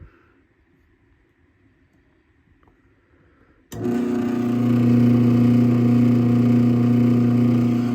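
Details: Craftsman 139.53930 garage door opener test run after programming its wireless keypad: quiet, then a steady motor hum and even drive drone, no grinding or stalling; operating normally.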